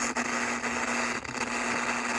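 Constant hiss and crackle with brief dropouts as the switch moves; dirty selector contacts making poor connection.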